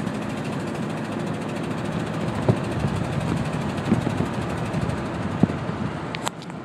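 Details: 1987 K5 Blazer petrol V8 idling with a low, uneven rumble broken by sharp knocks about every second and a half; engine knock with rough idle, cause not confirmed.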